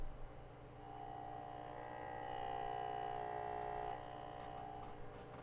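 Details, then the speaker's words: Carver MXR2000 amplifier on bench test, one channel driven up to about 217 watts: magnetic transformer hum grunts and groans most around mid power where the supply hands off between rails, then settles at maximum; normal transformer hum under load. "And then once it gets to maximum power, it actually settles down because most of the energy is getting out to the amplifier and to the power supply, and the transformer smooths out."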